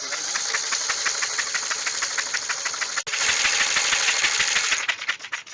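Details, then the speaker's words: Old Snapper mower, 12.5 hp Briggs & Stratton, sat for years and was locked up; cranked with spark plug removed to free it up: fast, fairly even hissing chuff about three per second, no compression, turning but sounding tight. "But remember, spark plug is pulled out of it right now just so things can start to free up."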